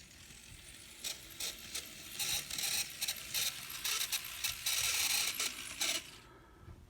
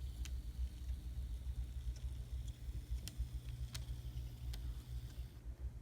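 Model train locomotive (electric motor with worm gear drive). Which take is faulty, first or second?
first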